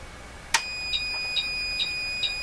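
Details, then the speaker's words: Bench power supply feeding a 1949 Buick Sonomatic car radio at 6 V: sharp click then steady high tone with chirps about twice a second as voltage sags; supply alarm set just below 6 V range tripping, cause unconfirmed. "huh must must be the alarm on that uh power supply is set it's just below the uh 6vt range"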